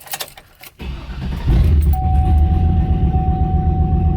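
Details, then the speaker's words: Turbo LS engine on HP Tuners stock file, speed-density idle tuning: after keys rattle, brief crank then clean start into steady, even idle without the earlier stumble; normal start and idle. "see how it doesn't it doesn't stumble now it just started and idled the first time it was like right right and then it rattled smooth start"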